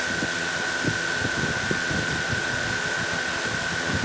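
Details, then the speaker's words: DJI Mavic Air 2 idling on a hard table with original DJI props: steady high whine at one even pitch, no wobble, drone not moving at all. Normal idle, unlike the shaking seen with Master Airscrew props. "oh solid not moving at all"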